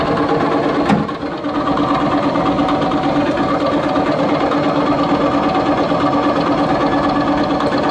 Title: Seasons nyc bad bearings close look at shaft